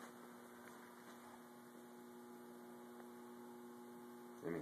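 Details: Resonant high-voltage setup of microwave oven transformers with a motor-run capacitor (360 V, 80 µF) for power factor correction and a ballast transformer: steady low mains hum, clean even buzz, no crackle or arcing, transformers energized and working normally.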